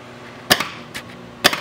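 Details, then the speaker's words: Williams System 6 Scorpion pinball with a repaired driver board (bad transistors), in solenoid test: the left and right kicker coils give two crisp single clacks about a second apart; all solenoids now working: normal. "okay so now now that we have all of our solenoids working"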